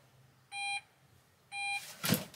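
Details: Opel Rocks-e electric microcar with about 1,900 km, which only jerks in forward or reverse; two even mid-pitched beeps about a second apart, then a sharp click as the car throws a warning and drive cuts out; cause unknown.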